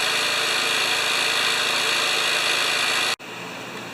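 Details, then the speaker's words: Murray mower with Briggs & Stratton engine, carburetor and tank clean: even, steady high-speed drone with no misses or knocks, then abrupt cut-off; running like a champ at about 3270 rpm, though a handle vibration of unknown source is felt. "Anyway, it's running like a champ. I got a handle vibration."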